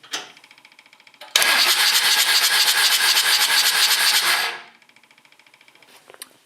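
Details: John Deere 755 compact tractor diesel: starter whirs about three seconds, even beat near three per second, never catches; owner suspects low compression, cylinder one reads about 230 psi.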